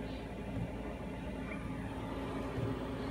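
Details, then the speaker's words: Cheap eBay 12V 5kW diesel air heater on a bench test, just switched off with the power button: steady low fan whir, no combustion roar, an even purge cooling the burner; normal shutdown cycle. "so it's actually shutting down it's just it's going through some process to shut off like a computer I guess"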